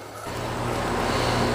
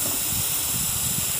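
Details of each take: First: York Affinity R22 condenser after leak repair and a 7 lb 4 oz refrigerant charge: a soft, even rush of fan air with a low hum builds as the unit comes up. Runs quietly and normally. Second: York condenser pressurized with about 49.8 psi nitrogen during leak search; loud steady sharp hiss at the suction service valve when it is moved, likely overheated during installation without a heat sink, solder joints not leaking — refrigerant leak at suction service valve.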